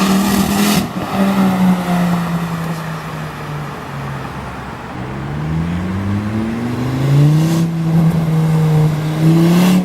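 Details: Volvo S40 T5 2.5 L inline-five, hard throttle pulls: a loud raw blat climbing and dropping with revs, like an open turbo outlet, from an exhaust leak at the flex pipe bolted to the turbo.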